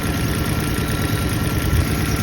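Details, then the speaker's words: Toyota four-cylinder at idle, flashing check engine light with P0303 cylinder 3 misfire code, under the hood: uneven lumpy beat with occasional heavy low thumps; misfire traced to a failed ignition coil. "As you can see, the car has a noticeable misfire. And this is a 4-cylinder, right?"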